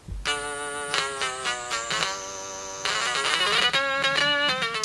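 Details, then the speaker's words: Stylophone pocket synthesizer sold on eBay as not working (battery corrosion), tested on switch position two during repair: buzzy, reedy notes step cleanly between pitches, no crackle or dropouts; sounds absolutely fine. "so it looks that sounds like it is absolutely fine"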